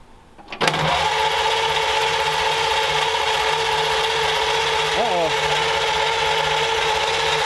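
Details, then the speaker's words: 1932 roadster at first start: starter keeps whirring at a steady high pitch under the running engine and won't drop out; starter stays engaged, possibly a sticking solenoid, not confirmed. "H so that was exciting we had a uh something was sticking on we're not sure if a solenoid was uh"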